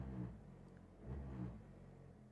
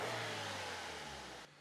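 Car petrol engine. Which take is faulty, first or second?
first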